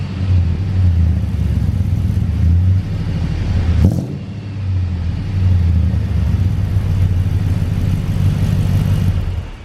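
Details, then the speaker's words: 2006 Chevy Express van with 340,000 miles, after fitting shorty headers and a Magnaflow muffler, cutting off the cats and fixing an exhaust leak, not yet warm: smooth, even V8 idle, a little quiet, no ticking or puffing. Normal idle. "this thing sounds cool it is a little on the quieter side I'm gonna have to give it a little RPM in a second"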